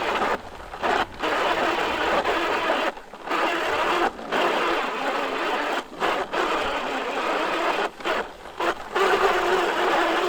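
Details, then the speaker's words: New PowerSmart DV8621S 21-inch 170cc self-propelled mower pushed by hand with the drive not engaged: dry, gritty grinding in rough bursts from the rear wheels; the owner is unsure whether it is normal and suspects the gears. "Another con is when you're just pushing this mower around without the unit on, the rear wheels are making a grinding noise."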